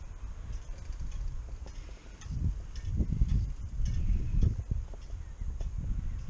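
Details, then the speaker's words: Bicycle rear wheel turning: slow, dull knocks about once per revolution, like a grandfather clock's tock, from a snapped spoke, another broken on the same wheel. "Is it a broken spoke? Because I can hear something knocking. Yeah, that sounds like a broken spoke. Another one's gone."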